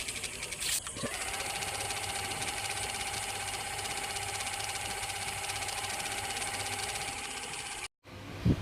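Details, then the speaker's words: Ceiling fan with the khat-khat noise repaired using Fevi Kwik instead of replacing the bearing, smooth even hum with steady tone and no knocking; fan runs quietly and normally after repair. "Friend को देखिए बन फिर से चला रहा हूं देखिए बिल्कुल आवत नहीं है"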